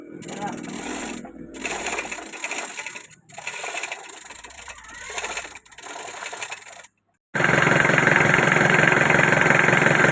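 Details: Freshly rebuilt Mitsubishi L200 diesel on first start after the overhaul: broken starting noises, then a steady, even clatter that holds without misses or knocks; the engine runs normally.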